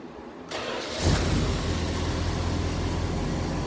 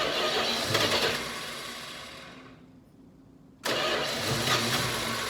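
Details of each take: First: Dodge Charger, 318 V8, new Amazon carb, after making new spark plug wires for all eight cylinders: it cranks and catches within a second, then settles to a steady, even idle with no stumble, running on all eight cylinders, before warm-up and carb tuning. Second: Dodge Charger, 318 V8, new Amazon carburetor, cold garage: it catches, fires roughly, dies for a second, then catches again and settles to an uneven idle. It is reluctant to start cold; the owner suspects the carb or fouling plugs, unconfirmed.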